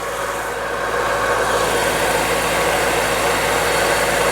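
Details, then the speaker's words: Acura Integra sedan B18B petrol engine idling with the power steering belt removed: faint whirring bearing-like hum, less bad than before; power steering pump judged the main cause, some strange noise remains. "It still has some weird bearing noise, but I do believe it's less bad."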